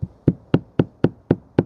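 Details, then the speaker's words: Range Rover L405 rear window with a water leak: seven sharp taps on the glass sound hollow and papery instead of a solid thud; the window bonding has let go, letting water track inside. "Can you hear that? Shouldn't sound like that. It should sound like this. Solid."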